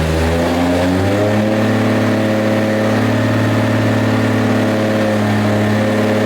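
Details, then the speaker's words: Rebuilt 2JZ in Nissan S14 240SX, first start after fixing missing crank trigger tooth no-start; compression change, tune on: catches, settles from brief rise into steady even idle, smooth drone, no misses or knocks; oil pressure good, normal idle. "all right so we got the motor started everything's good oil pressure is good obviously it's idling very well"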